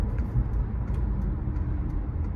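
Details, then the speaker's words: 2015 Toyota Venza 2.7L four-cylinder AWD at about 60 mph after replacing the left rear hub assembly: only even road rumble, and the earlier hum from the left rear that grew louder over 50 mph is gone; wheel bearing sounds healthy. "yeah the sound is gone like completely I hear it was humming and humming on the left rear corner now it's gone"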